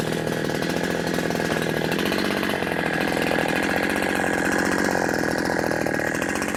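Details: New FARMMAC F372 (Neotec) chainsaw under load in the cut: steady high buzz that holds flat and never climbs; tops out around 9,700 rpm instead of the expected ~14,000; owner suspects the wrong carburetor, possibly port or ignition timing, unconfirmed.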